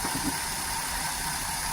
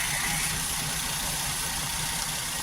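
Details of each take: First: 2013 Maruti WagonR with K-series petrol engine hunting at idle with no check light. One cylinder is misfiring, traced to a failing ignition coil and fixed by replacing it. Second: 2013 Maruti WagonR K-series engine after ignition coil replacement; it had run on two cylinders with hunting idle. Now a steady, even idle with no hunting or stumble, all three cylinders firing evenly.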